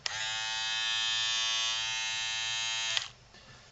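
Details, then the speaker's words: Andis BTF3 cordless hair trimmer, repaired for no green charge light and not charging, reassembled and run on a full charge: strong steady high buzz at constant pitch for three seconds, then off; motor runs at full, even speed, normal running. "so here we go we'll turn it on my sounds good sounds sort of like a picture I'd expect from a full speed motor off a full charge"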